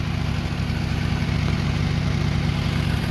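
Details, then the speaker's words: 2000 Lexus RX300 idling, heard from beneath near the converter: loud, rough low puffing from a huge exhaust leak at the downstream oxygen sensor flange, bolts rusted away leaving a gap, gasket possibly missing. "did you hear that so that's very huge leak and the leak actually is coming from here"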